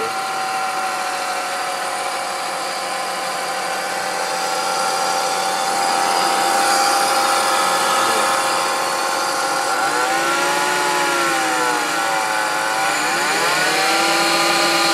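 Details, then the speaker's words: BMW E46 325 petrol idling: steady high whine dipping and rising as idle wavers; owner suspects an idler pulley low on the engine, not confirmed. "so um just posting this video up cuz I hear a little whining noise coming from my BMW E46 325 and um let me just start it up and show you sounds like a whining noise"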